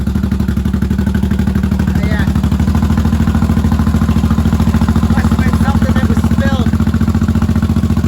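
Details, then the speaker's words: 1983 Honda Shadow VT750C V-twin, first start after sitting, on an auxiliary fuel tank, choke off: steady, even idle with a regular loping beat and no misses or knocks; healthy normal idle, some smoke likely burn-off from the pipes. "all right hey guys I think we got a runner battery and turn the choke back she idle's good I'm impressed real nice nice"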